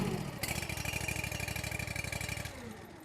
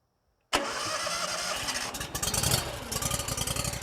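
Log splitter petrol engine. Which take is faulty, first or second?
first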